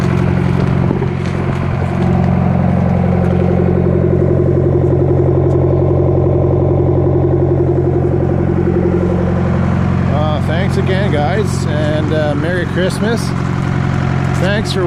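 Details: Detroit Diesel 4-53TIB two-stroke diesel, rebuilt after a busted liner and converted to Silver series, warm idle at the shop at about -7: deep, steady, even drone with no knock or stumble. Normal idle.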